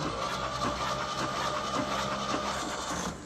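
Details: 1952 Jeep yard find on its existing engine and wiring, no spark from ignition yet: starter whirs steadily about three seconds, engine never catches or fires; cranks but will not start.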